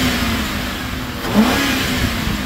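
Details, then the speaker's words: 2010 Ford Crown Victoria Police Interceptor, running on a jump box, which overheats after 20 minutes (possibly thermostat): engine revs climb and settle smoothly with no knocks, ticks or misses; engine sounds healthy. "this motor's good it may overheat for some reason it could be the thermostat could be something but the motor sounds good it's idling nice and smooth and it ribs up really nice"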